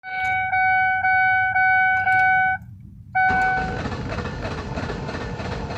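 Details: 2004 Ford Taurus that won't start: five even high beeps about twice a second, a pause, then a steady rushing hiss with no engine catching; no-start with warning beeps, cause unknown.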